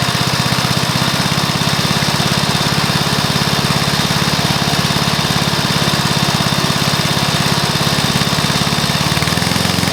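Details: Briggs & Stratton mower engine (believed early 1984), first start after rebuild with new piston, rings and valves for oil consumption (loose rings, worn valves); steady even single-cylinder putter at constant fast idle, no knocks, misses or rattles; normal running.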